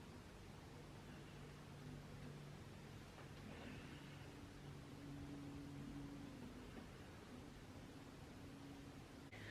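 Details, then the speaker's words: Canon G7X Mark II with autofocus lock mode on: only a steady soft hiss and faint low room hum, no autofocus clicking. "i'm gonna be silent now so you guys can hear how silent it is autofocus lock mode is on and you're not gonna hear the clicking sound"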